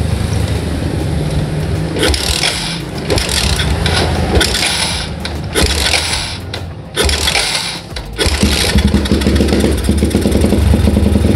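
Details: Old Yamaha Jupiter MX, cold morning: engine stumbles unevenly with irregular dropouts and surges instead of a steady beat; mixture too rich, mostly fuel with too little air, flooding.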